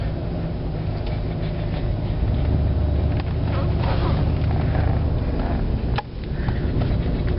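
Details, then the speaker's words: 1990 Cadillac Eldorado driving with radio off, low-mileage replacement automatic transmission, coolant temperature 170°: steady low rumble with road noise, no knocks or ticks; engine runs and drives smoothly, healthy. "car runs and drives very very nice"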